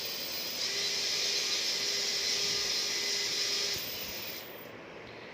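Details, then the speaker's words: QAV 210 quadcopter with Naze32 in Cleanflight motor tab, props off, master switch on: all motors spin together with a high, thin, steady whine at one speed, then wind down cleanly; normal. "when your master switch is on your quads will will part will able to be take response and all the full motors will run at the same time"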